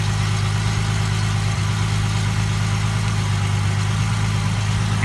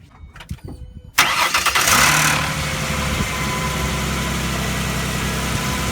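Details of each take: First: 2005 Ford Mustang 4.0 V6 after crank-no-start diagnosis and gutting the catalytic converters, exhaust joints tightened; steady, even low idle with no puffing or ticking at the joints, exhaust sealed: normal idle. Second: 2005 Mustang 4.0 after gutting the catalytic converters and refitting the O2 sensor, rear clamps not yet tightened: fast cold idle with a faint puffing tick on the exhaust note from the loose clamp. Exhaust leak.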